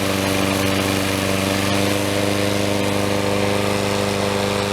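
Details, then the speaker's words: Troy Bilt self-propelled mower, 6.75HP Briggs & Stratton, after replacing broken intake tube and carburetor throttle linkage: even steady mid-pitched drone, no misses or knocks; running smoothly, self-propel working. "I think we've got that resolved now. So here we go here. Sounds much better. And Propelled works very nicely."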